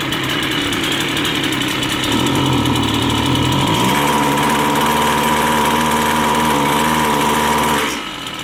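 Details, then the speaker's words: Line trimmer small two-stroke at full throttle while setting the high-speed (H) carburettor screw: revs up and holds a high, slightly rough wail, not running right; misadjusted high-speed mixture. "can see there it's not running right."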